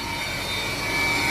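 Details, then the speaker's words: Car just back on the road after the coolant expansion tank failed and was replaced, cold start: steady high-pitched whine over the engine from the secondary air pump, which shuts off after about 90 seconds; pump working normally. "this right here after 90 seconds that will turn off because apparently I'm not a 110% sure of how it works but they say it it pumps air back into the exhaust somewhere in here - I guess pre-heat the Cadillac converter"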